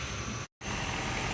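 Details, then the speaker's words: 2008 Toyota Prius after fixing no-start, no-dash-lights fault (repeatedly blowing fuse, new part installed, inverter coolant refilled); even engine hum with a brief dropout, starts and runs normally. "All right, now the engine got started and good to go."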